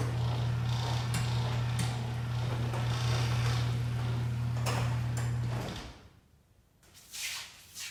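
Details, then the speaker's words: Garage door opener after lubricating the track with white lithium grease: a steady low motor hum through the run, then it stops, with no squeal or chirp. The squeaking is gone. "Everything sounded good. All the squeaking was gone. So I believe that was the cause,"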